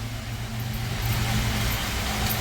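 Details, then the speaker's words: Grand Am GT with 3800 V6 swap, NIC cam, custom harness, new coils and ICM, first start-up: even, steady low rumble with no misses or knocks at idle, runs smooth; alternator still not charging. "It sounds so smooth now."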